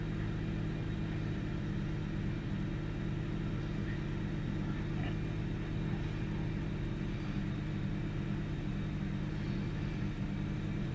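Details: 1998 Ford Taurus SE OHV V6 at idle, hood open: slightly uneven, lumpy beat with occasional stumbles. Rough idle with misfires and mild rpm fluctuation; earlier swung 400-1000 rpm without warning lights. Cause not pinned down.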